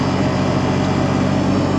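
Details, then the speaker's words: 2003 Honda Rancher 350ES, about 4700 miles, riding after shifting up to third: even drone with no clicking, clunking or grinding from the front; a weird front-end sound stopped after the axles were replaced. "yeah she drives good there used to be a weird uh sound coming in front of the front but after I replace those axles it uh I don't hear that anymore so I'm glad"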